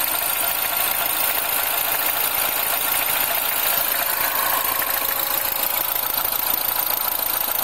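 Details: R56 Mini cold start after work: fast, busy metallic chatter over cold idle at roughly three to four ticks a second, timing chain noise pointing to a slack timing chain.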